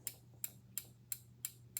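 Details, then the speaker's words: PCB relay module under test when energized: crisp, sharp clicks about three per second, clean and even with no chatter or buzz; all four relay groups switching properly. "everything is fine that's how you check your release"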